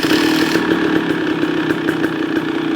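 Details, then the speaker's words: 2023 KTM 300 XC two-stroke, first start after replacing leaking crank seals and fitting clutch dampers: crisp rapid crackle at steady idle, no knocking or rattling; owner thinks it may be slightly quieter, still loud; normal idle. "Not 100% sure, but I think that actually might be a little quieter motor. Still a very loud motor, but probably not because of, could be the oil, but also by getting those dampers in that clutch."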